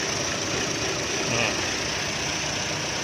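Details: 2016 Chevrolet Cruze after PCV valve replacement: quiet, steady idle hiss with no rising whistle or squeal over the engine; idle sounds normal and the high-pitched whistling noise is gone.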